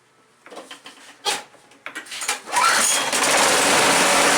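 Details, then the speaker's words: John Deere JS60 push mower, recently rebuilt with new rings, gaskets and seals, started about half an hour after last running, with 3 pumps on the primer bulb: a few handling clicks, then it catches at once and runs steady and even, a clean normal cold start. "Now I have had this one running today, the John Deere, but it's been probably a half an hour since it has been running, so it would have needed prime to start anyway."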